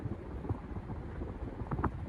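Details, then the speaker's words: 2001 Hunter Original 5-blade ceiling fan (heavily used) running on high speed: a soft, steady rush of air with no ticking, wobble or motor hum standing out. Healthy high-speed airflow noise. "so now it's uh turned on high speed is very fast and it's a very good air mover"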